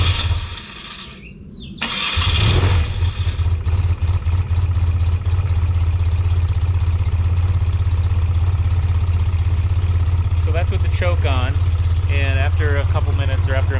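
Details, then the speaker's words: 1993 BMW R100GS, about 27,000 miles, all original, cold engine, started on choke in neutral with clutch in: catches after a short crank and settles to a steady, even low thump; normal cold start with choke. "You can see the engine is all cold. Okay. We'll turn the gas on. Choke on."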